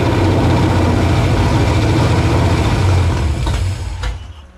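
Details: Foxbody convertible with a reassembled carburetor and a supercharger pending: it starts on the choke, then gives a low, uneven idle that sags and dies after about four seconds. The owner concludes it is the carburetor, with something plugged in the mid-range circuit.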